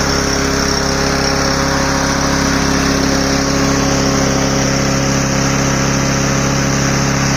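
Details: Troy-Bilt TB110 mower, 140cc Briggs & Stratton, after carburetor cleaning to fix a start-then-die problem: small single starts and runs fast and even with a steady drone, no stumbling or surging; sounds healthy.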